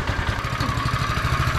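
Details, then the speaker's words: Small single-cylinder vehicle running with no exhaust fitted: steady, raw, unmuffled popping idle with sharp pulses. Loud exhaust note from missing exhaust. "she's a bit quieter than the other thing she needs an exhaust listen to it"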